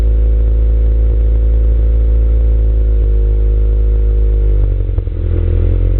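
Loud low-pitched running with an uneven, stumbling beat and a lurch near the end; the engine is misfiring, cause not yet known.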